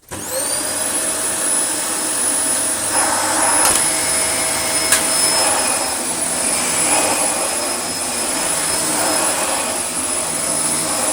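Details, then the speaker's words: Dyson DC24 vacuum, previously blocked and unblocked, possible donor machine: motor spins up in a second to a steady high whine with even rush of air, no rattles or surging; normal running. "I can't remember what it sounds like. We will turn it on now. I think it runs"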